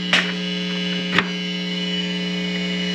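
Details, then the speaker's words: USB audio mixer feeding a powered monitor: steady low mains hum with a buzzy edge plus two sharp clicks as a PC is plugged in, causing a ground loop buzz right away. "now as soon as i plug in one of these other devices so in this case i'm plugging in my pc you'll notice things go haywire right away"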